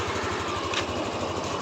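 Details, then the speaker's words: Yamaha NMAX V3 155 scooter, 9,500 on the odometer, after burnt error-12 fault repaired with long wire, new battery, check engine cleared: quick, even idle putter with no knocks or misses; runs smoothly, problem solved. "So umandar na mga kaibigan. Pro problem solve na ng may-ari."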